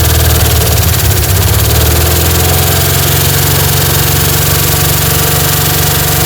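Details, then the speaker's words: 1960 Chevy C10 235 engine after about 40 years sitting, barely running: rough low idle with uneven ticking about four a second; owner suspects an exhaust valve hanging up and plans to back the valves off slightly. "Alright, sounds like we got an exhaust valve hanging up. I'm going to back them off just a touch."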